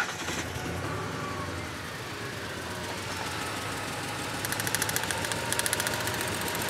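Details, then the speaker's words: Ford F-150 with waste-spark ignition, misfiring on cylinders five and six after coil replacement. Steady idle with sharp, crisp snapping ticks in regular bursts; the number six spark plug wire is arcing and judged bad. "There you go. >> A there's our arcing right there. How cool is that? That's what we're hearing."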